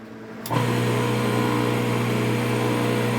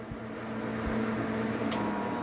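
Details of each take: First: Half-HP peripheral water pump after fitting new 25 µF 250 V capacitor, no jumper: kicks in instantly with steady low electric hum, runs evenly, stops and restarts cleanly; normal start after repair. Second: Half-HP peripheral water pump, start winding jumpered to run winding, jumper removed after power-on: motor catches at once into an even electric hum; start capacitor dead.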